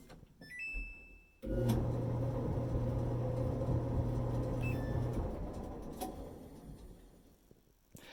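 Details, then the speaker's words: Dryer after repair with new double ball bearing pulley: steady low hum and soft tumble start cleanly, winding down evenly with no squeal or thump; pulley runs smooth. "I think I can hear the new pulley system. The new pulley system has a actual ball bearing."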